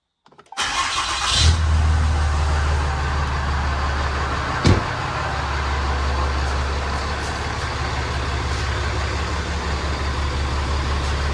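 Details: Ram with 6.7 Cummins diesel, over 680,000 miles, started after an oil and filter change to check for leaks: quick crank, catches cleanly into an even low diesel clatter with steady idle; normal start and idle.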